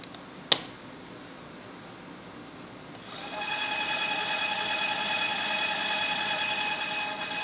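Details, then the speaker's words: Electric tapping arm set to 150 rpm in, 250 out, cutting 1/4-20 threads with oil through a 3/8-inch steel plate: a click, quiet pause, then smooth steady high motor whine, no chatter or labouring; normal clean tapping in seconds. "all right just like that I got two quarter 20 tapped holes through a 3 8 inch thick steel plate in seconds I mean come on super easy"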